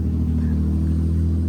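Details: 2007 Infiniti G35 Coupe after engine swap, first start on a rev-up ECU possibly in limp mode; steady even low rumble with no knocks, misses or stumbles, settled smooth idle.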